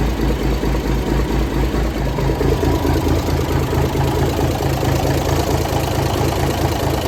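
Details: 1978 International Transtar II cabover diesel, first start after sitting 3 years during restoration: even, lumpy idle at a steady rhythm, about two pulses a second, no missing beats or knocks; sounds healthy.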